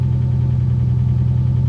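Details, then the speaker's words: Infiniti G35 that suddenly idled rough and stalled in traffic, check engine light on: low idle with uneven wavering pulse and dropping revs, ridiculously rough; cause unknown. "like right now the revs are dropping and it has a really really rough idle to it ridiculously rough"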